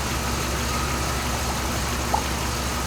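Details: 2007 Dodge Ram 5.7 HEMI V8 after water pump replacement, idling while antifreeze added, heater on to bleed air; steady even low rumble over constant fan hiss, no knocks, ticks or squeal; healthy.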